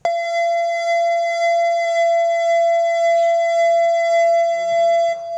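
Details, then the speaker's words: Mitsubishi Grand Jimli with the lights left on, key removed, door open and engine off. A single loud, continuous high tone held over five seconds: the lights-on warning chime. "bunyi pada saat lampu tidak dimatikan stop kontak pada saat itu terbuka mesin mati"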